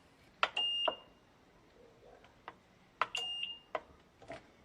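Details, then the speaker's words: Digital rice cooker that won't heat, 12 V supply restored: button beeps and a faint relay click on start, relay switches but no 220 V reaches the heating element side; no power to the heater. "kedengaran kan ada suara cemetet kayak gitu itu berarti relaynya sudah berfungsi dan kita ukur di bagian sini enggak ada tegangan"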